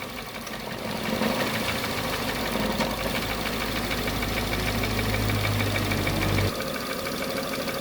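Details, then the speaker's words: Chevrolet Sonic on petrol and LPG with a repaired AC compressor, at idle. Uneven ticking idle with a low hum that cuts out, like the compressor dropping off; vent temperature rises to 15°C, and the owner suspects petrol/LPG tuning is needed. "จะเห็นนะคะว่าตอนที่เพื่อนทำงานตกแต่งต๊อกแต๊กแบบนี้นะคะจะไม่ได้ความเย็นอยู่ที่45องศาเมื่อกี้นะคะ"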